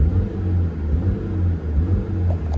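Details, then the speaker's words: 2005 Scion xB manual with codes P0351–P0354, in limp mode: revs cleanly with no misfire, but under throttle it rumbles low and uneven and bogs down, not passing 2500 rpm; caused by a bad ignition coil. "i'm still holding my foot i'm not moving but the car is bogging down now if you slowly very ever slight slowly give it gas you can go past but that's about it and then it starts bogging down"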